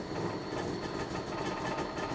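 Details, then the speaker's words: Opel Ascona, cold, after a new cambelt that seems loose and possibly the wrong one: the engine note wavers and stumbles as revs fall toward idle and it won't idle. The owner suspects the choke mechanism; cause unconfirmed. "everything sounds good with the cam Bel but it still doesn't really want to idle it sounds all right up here but once it goes"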